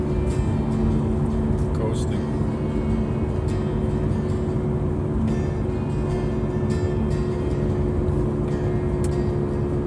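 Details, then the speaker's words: 2009 Subaru Outback coasting downhill in neutral, engine idling: steady low rumble/drone under road noise, present for several months, from a bad front wheel bearing; before replacing front wheel bearings, struts and brake backer plates. "we're hearing the obvious Rumble of a bad wheel bearing on the front of my 2009 Subaru Outback"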